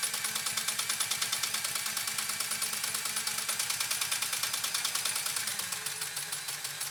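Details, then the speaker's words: Pfaff 130-6 sewing machine sewing a decorative stitch, deliberately slowed down and then sped up. Crisp, even ticking at about three stitches a second that eases off as speed drops: normal running. "And I'm slowing it down intentionally right now to show you that I can slow it down. And I'm speeding it up now to show you can speed it up."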